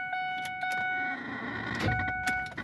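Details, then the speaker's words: 2003 Ford Explorer Eddie Bauer won't start: sharp irregular hard clicks over faint chime with no cranking; radio and electrics work, cause not found. "It won't start, or I'm thinking, hell, it's not even turning over either. It just makes this hard clicking noise."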